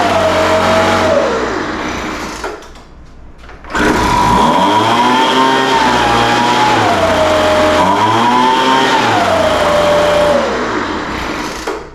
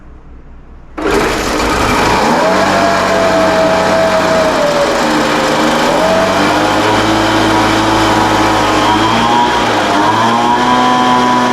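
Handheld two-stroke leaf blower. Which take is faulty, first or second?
second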